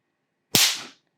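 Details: Ceiling fan capacitor charged then shorted to test it: one loud sharp crack fading within half a second, a strong discharge snap showing the capacitor holds its charge.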